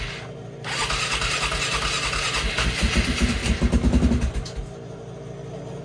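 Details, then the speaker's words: Flood-damaged 2001 Polaris Sportsman 500 HO cranking after refuelling; starter churns unevenly for a few seconds while fuel fills the carburetor, then stronger beats as it catches. "Let's try to fire this up here. It's gonna take a minute to get that fuel into the carburetor."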